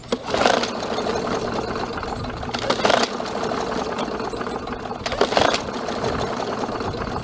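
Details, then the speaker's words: MTD Yard Machines 21-inch self-propelled mower, 140cc engine, hydrolocked with oil. After the oil was cleared, three pull-starts spin freely and evenly with no hard stop; cranks normally. "think we're good to go now the engines not hydro locked anymore"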